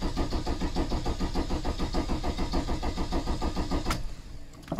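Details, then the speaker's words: VW T3 van with swapped-in TDI diesel, 1162 km after the engine and gearbox swap, during a service: even chug of about five compression beats per second, cranking without firing to build oil pressure, then stops; normal cranking. "we'll just spin it over and just make sure our oil pressure light goes out and once the right pressure light goes out then we can start it"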